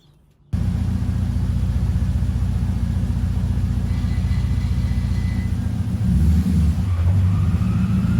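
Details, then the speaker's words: Mazda MX5 NC with LS1 V8 swap, just off the dyno after the misfire was solved, fueling more accurate: deep even V8 rumble at high idle, clean pick-up on throttle, no stumbles or misses; normal running. "so I've just got it in and off the dyno it runs all right now there's no misfire the fueling is much better now it's more accurate"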